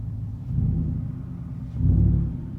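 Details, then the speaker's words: Truck with a Flowmaster Outlaw aftermarket exhaust, recorded in the cab at about 800 rpm idle: a low, deep rumble swelling and easing, ordinary exhaust drone. "we're sitting at 800 or so rpms not sure if you can hear it but personally i can hear the idle running so just drone noise wise this is what you hear when you're just sitting here"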